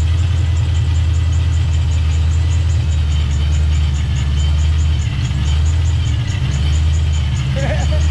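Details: Fox Body Mustang, speed density, just after first start with newly fitted 30-year-old Vortech A-Trim supercharger: steady, even low rumble at idle, no misses, knocks or belt squeal; normal idle.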